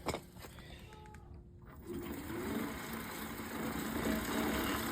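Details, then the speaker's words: Lectric XP electric trike after DIY replacement of its failed right rear axle bearing (20x35x9mm, failed at 57 miles): smooth, even whir rising on pedal assist with no grinding or knocking. The hub motor and bearing are healthy. "let's check it out see if we can give her a spin to our power on pedal assist"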